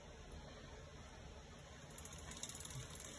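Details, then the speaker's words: SRAM GX Eagle 10-50t cassette after grinding the inside of the offending tooth so it no longer contacts the chain's outer link: a soft, even drivetrain whir with no clicking, only a faint hum. "so now that tooth doesn't make contact with the outer link anymore and you have a silent cassette"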